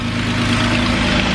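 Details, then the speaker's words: 2008 Jeep Wrangler Unlimited 3.8L after alternator replacement (earlier electrical whine and faint burning smell, not cured by tensioner pulley): steady idle with even low hum, no electrical whine; charging system sounds normal. "should be good to go moment of truth whoo [Applause] so there's so there's no sound coming from it that's off"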